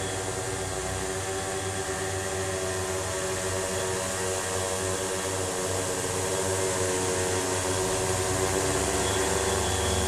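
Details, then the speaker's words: RCTimer Trooper 900 tricopter with RCTimer 5010-310 kV motors and 40 A ESCs, after autotune: motor and prop noise rising and falling with throttle over a faint rough chatter; rattle of unknown source. "I've got a little bit of a rattle that I can't really figure out what it is. You can probably hear it."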